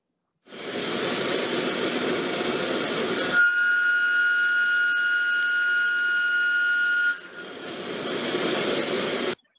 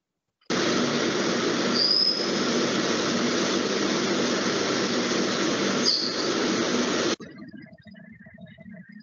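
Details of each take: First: Milling demonstration: cutting hiss turns into a steady piercing whistle near 1.4 kHz, chatter from using a long end mill for slotting with too little contact on the part, causing vibration and leaving burrs. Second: Milling cut with the cutter held in a side-screw (lateral set-screw) toolholder: a steady, harsh cutting hiss with a couple of brief squeals, even throughout, then stopping; this holding suits milling despite high runout.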